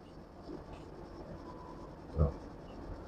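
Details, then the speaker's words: AC outdoor unit, running: a low buzzing rattle rides over the unit's hum, disturbing at night. It comes from a loose casing panel vibrating, and the noise stops when the casing is pressed by hand. "Nah itu Kedengaran berisik ya Nah getaran itu mengganggu sekali apalagi di malam hari kita"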